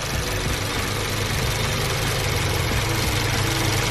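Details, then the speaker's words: VW GTI with stalling and codes P000B, P0017, P0341, P2336, oil pump replaced, idling: fast light ticking about three to four a second that stops when the cam adjuster solenoid is unplugged; faulty solenoid suspected, possibly oil pressure related, louder while driving. "once you've let it idle and unplug one noise stop it's almost like it's got low oil pressure something that's not allowing it to go back the other way and then it's super loud when you're driving"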